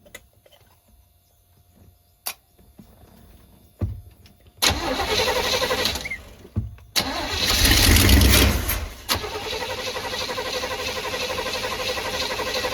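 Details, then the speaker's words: 1985/1986 Chevy Hi-Cube van, ex-police vehicle with Onan generator, being revived: steady starter cranking with a brief rough catch that never runs, fed by an external electric fuel pump from a boat tank; fuel not reaching the carburetor, the pump or line seems plugged. "Fuel pump is filled the carburetor too, and it does not appear to be working from there. Yeah, this thing just is plugged."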